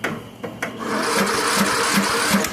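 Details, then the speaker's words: 1998 riding lawn mower with Briggs & Stratton Vanguard vertical-shaft engine, first crank after starter replacement (old starter wouldn't turn it); battery a couple years old, possibly weak. Even compression chugs about 2.5 per second under grinding whir, dragging but turning over. "That thing's turning. But it's turning. The other one wouldn't even turn it over."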